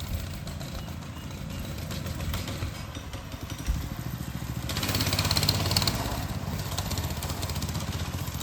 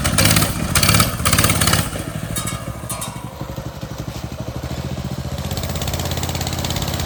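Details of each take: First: Motovox mini bike small single, test ride after the worn centrifugal clutch was fixed, with the choke on: coughs and stumbles, uneven wavering revs and a brief louder surge, then it dies; rough running blamed on the choke. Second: Motovox mini bike small single, after the worn centrifugal clutch was fixed, the exhaust guard removed and the chain lubed: idles with a slightly uneven putter and no grinding or rattle from the clutch; normal idle.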